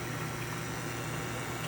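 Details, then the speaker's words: ECM Technika Profi IV super-automatic espresso machine after service and descaling, pump brewing at 8 bar: a low, steady hum with an even hiss and no rattles, quiet and normal apart from a very faint crackle possibly in the pump. "As you can see, really silent. Brewing, I can adjust the pump, but it's at 8 bars right now. Completely silent."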